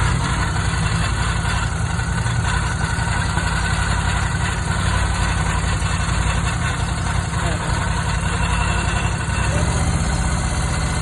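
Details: Ducati Scrambler 1100 Pro that began making a strange noise after a few miles: engine idles steadily with a rough, gritty grinding mixed into its low rumble; cause unknown, owner asking.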